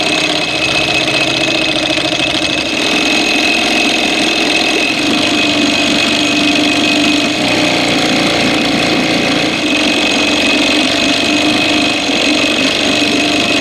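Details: 1987 Evinrude 4 hp outboard just after ignition spark was restored, adjustment nut turned: busy, uneven buzz that never settles as throttle is worked, stumbling now and then; missing, dies in gear; later fixed by another mechanic.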